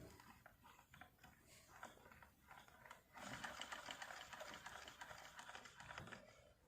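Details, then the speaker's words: Sewing machine after oiling and light cleaning; light quick even clatter about three to four stitches a second, no grinding or knocking, sound now clear. Normal running. "इसकी आवाज़ देखो एकदम clear हो गई। मैंने सिर्फ oil दिया था और थोड़ी सी सफाई के लिए।"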